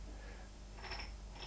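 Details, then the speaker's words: Newly machined module 1 pinion meshing with the gear rack of a lathe tailstock: quiet gear whir with no rattle, but one crisp tick once per turn at the same spot, believed to be a single high spot or burr on a tooth. "you can hear that's a feed well I believe I figure out what that is and foil it away I believe that there is just one high spot or bull or something like that"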